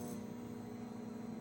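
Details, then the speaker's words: Microwave after replacing a damaged 20 A fuse and the door switch, which had been blowing the fuse when the door closed, on a test run: a quiet, even low hum with steady pitch and no crackling or buzzing, running normally. "Yep. Machine working and up."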